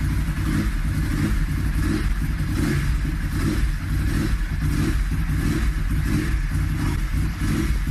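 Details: Ducati 996 first engine start after months-long rebuild; deep lumpy twin rumble with repeated throttle blips, each picking up and settling cleanly; normal running and revving.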